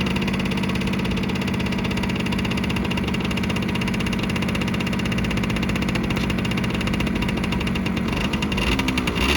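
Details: 1987 Yamaha YSR 50 two-stroke, cold start on choke after months unused, crank seals previously replaced: fast, crisp buzz ticking evenly without stumbles, pitch rising slightly near the end. Healthy cold idle.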